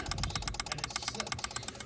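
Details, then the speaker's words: 2016 Honda HR-V in park, no crank no start after a repaired fractured fusible link at the battery terminal: pressing stop/start gives fast steady clicking about twelve per second with no cranking; suspected power or ground problem, not confirmed. "So, we push the uh stop start. And if you can hear that, >> we got we got some power system issues stuff going on."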